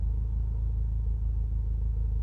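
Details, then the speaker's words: VW MK7 GTI with DKM MB series clutch, idling with A/C on: low rumble with fast even rattling pulse, clutch chatter louder with A/C on than off. "I don't know how much you can hear the clutch chatter how louder he got"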